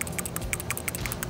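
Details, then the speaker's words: PCV valve from a 2010 Nissan Murano LE VQ35DE at about 125,000-130,000 miles, shaken after cleaning with brake parts cleaner: crisp light clicks, check ball rattling freely; owner suspects it is not the original valve. "rattling a lot more freely so i have the feeling this is not the original"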